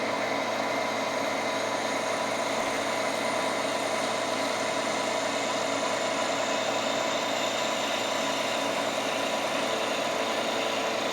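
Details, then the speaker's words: Milling cut for a DRO bracket, hand-cranked feed: steady even cutting tone holding one pitch, no rattle or chatter, over a rigidly supported section; chatter returns on unsupported sections. "you can hear how the sound really changes once we get over rigidly supported section"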